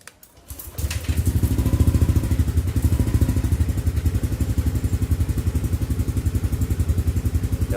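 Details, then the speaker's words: Yamaha Aerox scooter after fitting a new battery: starter catches and the engine settles into an even, steady putter with no misses or knocks; voltage rises quickly to about 12.08–12.09 V, unlike the weak old battery. "pasti aku menyala ya nah ini pas nyala lumayan nih 1208 1209 dia cepat naik ya"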